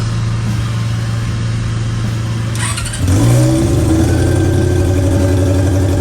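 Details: Honda CB400 four-cylinder with four square carburetors in an off-road golf cart, first start after fitting linkage so all carbs pull together: steady drone, then clean rev with rising, even pitch; normal, healthy throttle response.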